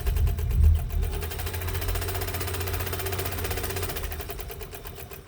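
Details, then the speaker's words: Westinghouse UHB sewing machine, rubber-tire drive with a new tire, no belt, at longest stitch: steady soft whir and quick even needle ticks, no knocking or grinding; runs quietly and healthy. "This machine is pretty quiet for a machine that's run on a with a rubber tire, and it has a new rubber tire."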